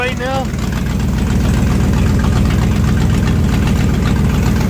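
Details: 1969 Corvette 427 four-speed with Brodix aluminum heads, first start, idle after 30 minutes: loud lumpy V8 idle with a puffing tick from a driver-side exhaust manifold leak (a bolt head stopped it seating); hot exhaust melted three plug wires, so cylinders misfire.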